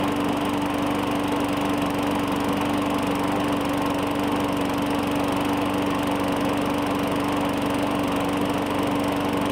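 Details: 2017 Murray 21" mower, Briggs & Stratton 450E, after cleaning the dirty carburetor: steady even drone at constant pitch, no misses or surging; normal running, no smoke, muffler burning off some residue.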